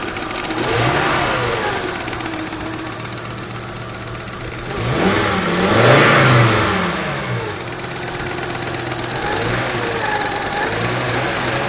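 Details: 1993 Volvo 850 GLT petrol engine idling and revving with a fast, sharp ticking riding over the running sound; cause unknown.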